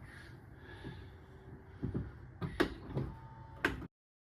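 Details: 2015 Subaru, 110,000 miles, power liftgate closing: motor hums steadily as it lowers with a few soft thumps and the latch, no clicking or popping; normal closing, the popping occurring only on opening.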